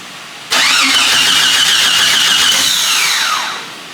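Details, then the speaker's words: Jeep XJ cranks but won't start: steady high starter whir with even pulses, never catches; no fuel pump heard, tach dropped, smells rich; owner suspects crank sensor or ignition switch, unconfirmed. "I don't hear the fuel pump, which is crazy cuz last time there's a fuel pump in a bucket. Now the fuel pump's wired out. It's crazy. The fuel hand and the tack went down, which means crank sensor usually."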